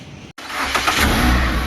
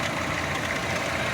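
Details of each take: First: Chevrolet Optra stored unused for two years, which earlier mechanics also failed to start: the starter cranks in a steady chugging rhythm but the engine never catches or fires. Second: Chevrolet Optra that would not start after 2 years of storage, now running after its badly rusted fuel pump was replaced with a new complete pump. Smooth, even idle hum with no stumbling or hesitation; normal idle.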